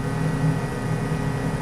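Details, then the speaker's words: Jet-flame rocket stove with adjustable blower fan, fan turned up to 4 volts: steady low electric buzz with a faint hum above it, even throughout; small blower fan running normally at low voltage. "Now I'm going up to 4 volts. Oh, you can hear that fan starting to buzz."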